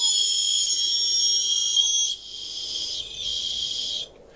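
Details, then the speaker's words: Holmes Hobbies Revolver 1400kV brushless outrunner (replacing stock 45T brushed in Cross RC MC8 8x8 truck) on Castle Sidewinder 4 ESC, running unloaded before fitting: steady high-pitched whine with faint rising tone, not much louder than brushed; normal. "It's the 1400 kV. So really, it's not staggeringly loud. It's got a high-pitched noise, but it's not. I don't think that's much louder than a brush motor going at it."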